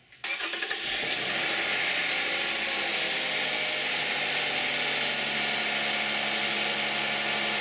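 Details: Cold start of a 2010 Toyota Camry 3.5 V6 with 93,000 miles on Pennzoil Ultra 5W-30 synthetic and a Wix filter: quick catch on the starter, then a fairly quiet, even cold idle with a steady hiss and no ticks or knocks, healthy.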